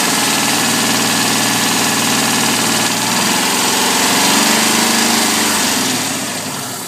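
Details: Alfa Romeo 145 1.6 boxer engine at idle: rapid, fairly regular ticking over a steady idle that eases as the engine settles; source can't be pinned down by ear.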